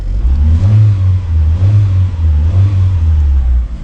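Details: 2002 Mitsubishi Lancer OZ Rally after valve cover gasket replacement, cold engine: two quick throttle blips climb cleanly and drop back to a fast cold idle, no knocks or stumbles; normal free revving.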